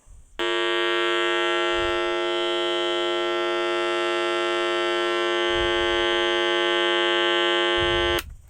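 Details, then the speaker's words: Modified sine wave inverter output through a speaker with a 22 microfarad capacitor in the speaker line, which filters lower frequencies so harmonics get through: loud, harsh, dead-steady buzz; the stepped output leaks a raspy edge, louder and more distorted than pure sine. "capacitor is filtering out the lower frequency Sony their harmonics are getting through so that there's quite a buzz the year"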